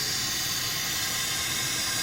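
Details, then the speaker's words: Car AC system pressurized with shop air, heard at the wheel well with the wheel removed: a steady high-pitched hiss of escaping gas, and soapy water bubbles instantly. The AC evaporator is leaking badly and must be replaced. "the leak it's a mess of leak so when I spray soapy water on there it bubbles up instantly just pouring out of there so we have a bed AC evaporator which we'll have to replace"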